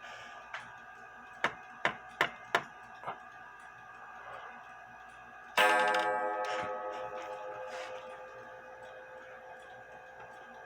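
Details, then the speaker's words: Junghans bakers clock strike: a run of sharp clicks, then a hard, bright, long-ringing metallic clang as the gong hammer, its leather tip fallen off, strikes the gong bare; the tip needs replacing. "the leather piece fell off and I'm gonna have to make another one the leather tip for the hammer fell out"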